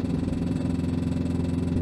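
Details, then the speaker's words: Renault Twingo 1 with 740,000 km, climbing a hill stuck in third at about 60 km/h: a loud, rough, labouring engine drone with a fast pulsing beat that sounds unhealthy; the cause is unknown. "là je suis dans une côte je suis bloqué en 3è ah oui bah fait du bruit ma voiture elle est morte en même"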